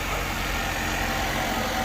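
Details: Chevy Equinox just jump-started from a dead battery (11 volts) with a Noco Boost Pro GB150 jump box: steady, even idle hum with no stumbles, knocks or hunting; engine running normally.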